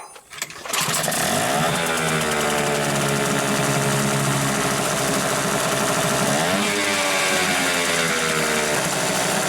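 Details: Hangkai 6.0 outboard after repair of a noise under the flywheel from a disintegrated bearing, block cover removed and cleaned: starts and settles into an even steady buzz, one brief rev change, no knocking; normal running.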